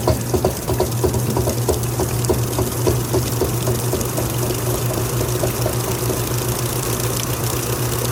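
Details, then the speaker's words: Kenmore stacked washer (laundry center) starting its final spin after rinse: steady motor hum with soft, irregular clicks as the drum balances and levels; the belt tensioner pulley kicking slightly, which is normal. "This model here actually has a belt and tensioner pulley system. So as it kind of gets started out and starts to balance and level itself, you might hear that tensioner pulley kick just a little bit, which is normal."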